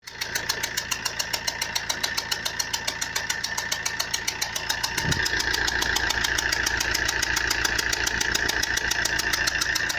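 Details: Fiat Punto 1.3 Multijet diesel: sharp, very regular metallic rattle about 3.5 times a second, louder as revs settle; started suddenly while driving on the motorway at 140-150 km/h. Engine knock, cause unknown.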